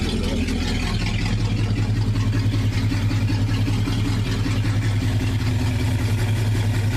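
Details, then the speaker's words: 1969 Dodge Dart V8 revived after sitting, warm with thermostat open and lifters quieted: deep, steady idle lope with even beat, no knocks or misses; normal idle, though points may be burning. "But the engine sounds good."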